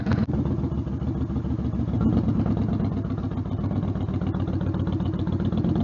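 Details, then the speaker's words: Stryker V-twin on a warm-engine road ride after new header gaskets fixed leaking headers (about 11,000 miles): loud, steady, even exhaust pulses at cruise, no popping or surging; power now feels linear. Normal running exhaust. "and for what I heard I'm pretty deaf already it doesn't sound like there was a lot of like like backfire on the bike"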